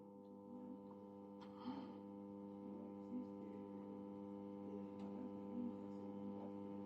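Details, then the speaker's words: Tube radio under repair gives only a steady low mains hum from the speaker; tuning the dial brings no station and no change in sound. "那我们从这个音箱中能听到交流声，是不是？"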